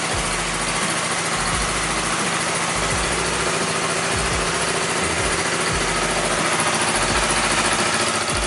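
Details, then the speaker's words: Flood-damaged Yamaha R25, 68,000 km, idling after a major overhaul, with code 46 and the rectifier socket fixed: steady idle with a busy, even chuffing rattle about three times a second; the noise is from the deliberately removed air induction system, not valves, bearings or pistons. "mungkin kalian akan notice ada suara berisik. Jadi suara berisik ini bukan dari sim klep maupun metal maupun piston, tetapi dia adalah dari ais ya."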